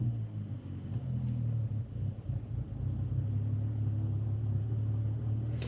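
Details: BMW 335i at idle with a new engine tune still adapting: low, deep rumble that sags and swells unevenly for a couple of seconds before steadying, rough hunting idle; owner suspects the tune adaptation.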